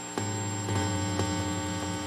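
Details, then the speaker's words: MIDI-controlled Hammond tone generator, grounded to the frame, everything on one outlet strip: a steady heavy gritty 60 Hz mains hum swamps the output. Ground-loop hum, with a passive hum eliminator ordered as the fix. "you can hear the 60 hertz pum in the background"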